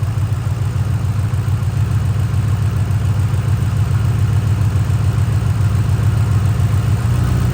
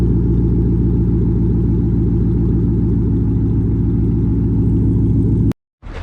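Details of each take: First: 2005–2009 Mustang GT V8 with misfire: deep idle with uneven loping beat, dropping to seven cylinders as each coil pack pigtail is unplugged; all coil packs confirmed good, misfire at idle. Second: 2005–2009 Ford Mustang GT after misfire repair with coil packs refitted: the engine starts smoothly and idles with a deep, even rumble and steady firing beat, with no stumbles and no misfire.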